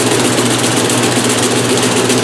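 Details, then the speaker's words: 1996 Maytag Dependable Care Plus top-load washer, first load in new house; loud rapid rumbling thump during spin with cabinet shaking hard and walking even while held; load off balance. "it's walking even with me holding it it's turning like this you guys wonder why because it's off balance"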